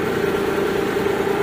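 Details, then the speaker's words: Mitsubishi Galant V6 with misfire codes 21, 53, 41, short stretch of smooth steady idle with an even mid-pitched hum after its wiring continuity fault from the igniter was repaired and a loose socket under the air cleaner reconnected. Normal idle. "Yun oh okay na okay na siya umandar na"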